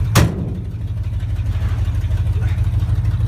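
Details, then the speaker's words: 1970 Ford F250 Crew Cab, former hang-glider tow truck kept in good mechanical shape, fired right up off the trailer; deep strong V8 rumble with even pulses, no knocks or misses, healthy engine running. "Let's see what happens. Oh, listen to that Ford power."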